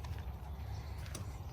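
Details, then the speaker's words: 1970 Chevrolet Impala, first day home: short low steady buzz of the windshield washer pump running when the washer button is pressed, no grinding or squeal; washer pump working. "i heard that i heard the pump go for the sprayer"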